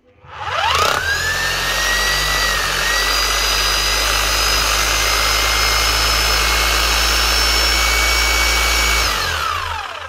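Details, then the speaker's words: 2008 Bosch GBH 5-40 DE rotary hammer after a full service with new seals and O-rings; it had lost hammer action and was stuck in rotary mode. Steady, even high whine, no grinding; it now locks in the hammer position. "that's her she's locking on on the hammer position she should be switching off and rotation"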